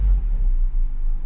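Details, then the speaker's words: Mazda B2200 pickup shortly after a cold start (about 51°F), in neutral: after a kick of the throttle it drops right down to a deep, steady low idle with no surging or hunting; normal low idle. "goes right down to low idle."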